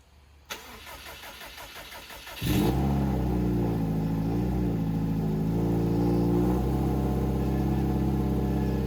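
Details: 2007 Subaru WRX swapped to STi engine, official startup then break-in at about 2500-3000 rpm for 15 minutes: starter spins about two seconds, catches and holds steady, even run without misses or knocks; normal running.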